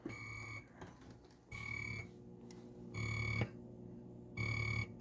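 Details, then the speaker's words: Bally Frontier pinball machine after swapping in new boards and setting dip switches: repeated cricket chirps about every 1.5 seconds come cleanly through the speaker at ball drain. The cricket sound effect works. "there's the crickets my favorite a lot of the times at a tournament you can't really hear the Crickets cuz all the other machines are going"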